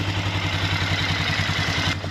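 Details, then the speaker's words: 2003 Polaris Sportsman 400, first start after valve adjustment and reassembly, choke off: single-cylinder thump picks up cleanly under throttle and runs even, no misses or clatter, then eases back; normal throttle response. "That's a choke off, that's idle. It is really running nice. Look at that. It's taking throttle."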